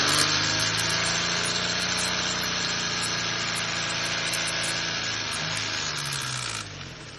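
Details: 2006 Nissan Xterra 4.0L V6 VQ40 at idle: dense rapid metallic chatter from the timing chain hitting the plastic guides, easing a little as RPM rises; timing chain rattle, timing set replacement suggested.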